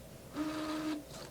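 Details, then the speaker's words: Canon printer after a mod, refilled CLI cartridges and a power cleaning, before a manual nozzle check: a brief steady hum of about half a second, then soft clicks, as the cartridges are repressurized after the ink compartment was opened. Normal pressurizing; the nozzle check came out perfect. "You can hear it pressurizing. Remember, when you open up the ink compartment, it depressurizes the carts."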